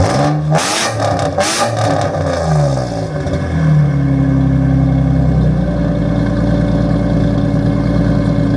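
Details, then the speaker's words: Nissan 350Z first startup after fitting a cheap used marketplace exhaust with damaged tips: hard blips then deep, loud droning idle; engine runs fine but exhaust judged too loud. "I don't think it sounds better, so I think I'm going to be looking for new exhaust. Tips are screwed up. It sounds too loud for my liking, but I like the wheels on it"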